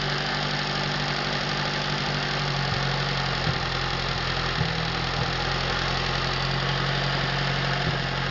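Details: Atomic 4 inboard engine overhauled last summer (new pistons, rings, valve springs, plugs, wires, higher-flow water pump), run without choke on a test stand for a 17-foot homemade wooden boat, alternator off: smooth unloaded idle, steady low hum, slight wavers, no knocking or missing; normal idle.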